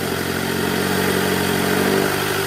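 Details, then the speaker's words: 2008 Toyota Camry 2.4 V (2AZ-FE), in R with about 1200 rpm applied: a rough growl rides on the engine note. Cause is a belt tensioner with a weakened spring; replacing the tensioner removed the noise. "Jadi kita mau ganti Tensioner si partnya kita udah siapkan bunyinya ini ngorok jelas banget ya"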